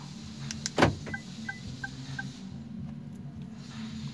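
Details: 2020 Toyota Rush, alarm answer-back on remote lock/unlock: door thump, then four short, faint high chirps; volume too low because the alarm was still on its default setting, later raised so the answer-back sounds louder.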